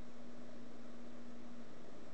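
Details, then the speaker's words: Synchronous turntable motor on a versatile controller, sped up beyond 2 MHz / 66 rpm, fed roughly 70 V. Faint steady low hum over quiet hiss: the motor is overdriven for that frequency and voltage should be reduced until it runs quietly. "You see, it's a matter of balancing the voltage and the frequency. What it means is when you get the turntable up and running, you can tweak it. And you can turn the voltage down until the motor's spinning really, really quietly."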